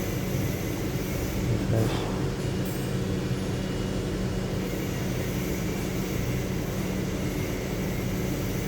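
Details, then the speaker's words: 2007 Lincoln Town Car V8 after replacing faulty cylinder 7 ignition coil: steady even drone over several seconds, no stumbles or skipped beats; no misfire, codes cleared. Normal running after repair. "तो अभी miss fire नहीं है गाड़ी में ठीक है सात number coil का इशू था वो क्लियर हो गया"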